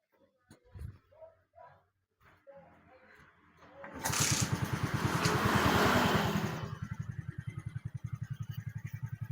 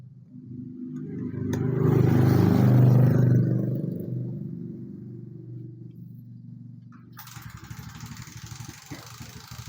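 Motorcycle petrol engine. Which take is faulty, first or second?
second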